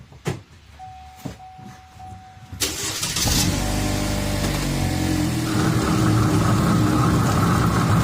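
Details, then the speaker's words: 2015 Cadillac ATS 2.5: engine started and put in drive, a steady droning roar builds from the rear driveline; badly worn rear differential, which sounds like a wheel bearing but isn't; differential to be replaced. "i'm gonna start it up put it in drive and let you hear but it's it's roaring it's worn pretty bad"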